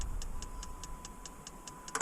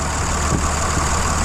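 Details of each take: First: Dodge 2500 5.9 Cummins, almost 350,000 miles, original CP3 pump, after sitting overnight: a few ticks with key on, then long, steady crank that doesn't catch; hard start, suspected weak CP3 pump, replacement planned. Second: Dodge 2500 5.9 Cummins, almost 350,000 miles, suspected weak original CP3, just started after cycling the key to prime fuel following an overnight hard start: even, steady diesel rumble, no knocks or misses; normal idle.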